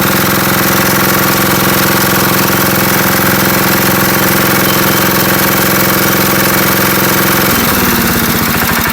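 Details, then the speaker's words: Revived Wisconsin AENL air-cooled single-cylinder 9.2 hp engine, governor faulty; fast steady chatter, then falters and dies as it is choked to shut off; smoking a little from Marvel Mystery Oil put inside. "Yeah, I just choked it to shut it off. Smoke it a little bit from all that Marvel's Mist oil that was down inside."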